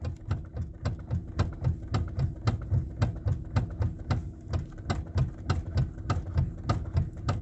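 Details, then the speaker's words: Lexus ES350, customer complaint of steering noise when turning: repeated dull clicking knocks, about three a second, from the front end as the wheel is turned; steering to be opened to find the cause, not yet confirmed. "इसमें गाड़ी में आवाज़ आ रही है, इसका steering आवाज़ कर रहा है, सुनिए आप लोग।"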